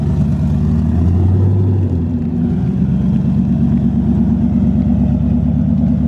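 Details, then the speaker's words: Turbocharged car with four new injectors not yet retuned, driven on the road: a loud rumble under load with an uneven, stumbling beat; it breaks up worse and smells rich, likely a tune issue. "So he's still having the problem with it breaking up. It's probably a tune issue as of right now. Just a tune? It's breaking up worse."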